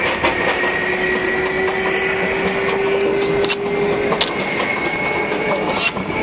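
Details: MTA R142A car 7686 on a Manhattan-bound 4 train approaching 183rd Street: a steady, clear howl holding its pitch over the rolling noise; traction motor howl, later fixed.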